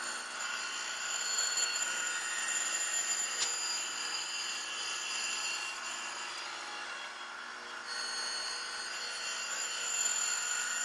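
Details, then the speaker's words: Grinding a 3/4-inch pin stuck out 1.8 inches unsupported with a 100-grit Radiac wheel at 0.001 inch per pass, pushing toward a 0.120 diameter: a steady wheel hiss with a thin ringing tone as the slender part chatters (sings). "I can hear the part singing a little bit at a thousands per pass I mean you have to back it off at this but I'm gonna see how far I can go"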